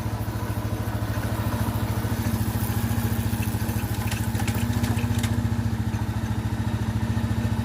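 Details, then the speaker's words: Itálica Z150 motorcycle idling smoothly in gear after transmission gear bushing repair; even low thump, the previous humming when engaging gears gone in first through fifth; normal idle. "No más ruido, no más ruido. Ponemos velocidad, soltamos. Ahí está. No más ruido."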